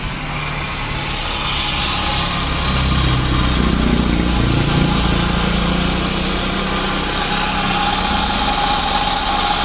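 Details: 2009 Daihatsu Grand Max petrol engine at idle: a noisy, constant low hum and drone over the engine beat, traced to a worn idler pulley bearing on the V-belt drive.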